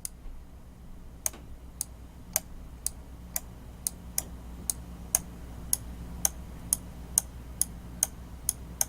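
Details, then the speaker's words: Roccat EMP mouse left/right click switches, button pressed, held, then released: sharp loud clack on each release; noisy switches. "I'm going to do the down hold it and then release it back you can either clacking noise it makes when you close that back up"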